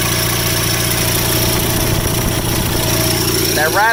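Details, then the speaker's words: Rare factory-built Cub Cadet garden tractor idling; uneven metallic rattle over the steady small-engine idle from the counterweight disc on the PTO clutch, which is loose and flopping around and needs tightening: PTO clutch counterweight disc rattle. "noise you hear is that counterweight disc on the pto clutch rattling i gotta i gotta tighten that up it's not supposed to flop around"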